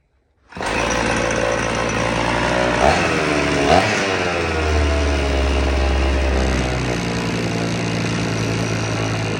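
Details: Vintage black-top Husqvarna 50 chainsaw (50cc), unrun about 15 years, only 80 PSI compression, rings possibly stuck: fires up and holds a ragged, uneven run with rev blips; weak engine from low compression.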